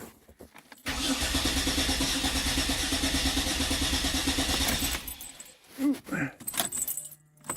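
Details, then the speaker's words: 2007 Dodge Nitro crank-no-start after a fuel pump replacement, with only about two gallons in the tank: steady quick cranking for about four seconds with no firing, from fuel starvation. A wrong replacement pump is suspected. "not enough fuel not enough fuel in it"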